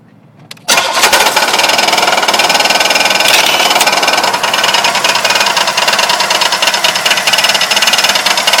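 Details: Engine after being driven about 2 miles with very low oil, main and rod bearings since replaced: catches into uneven idle with loose rapid knocking about three a second; owner suspects cam bearings.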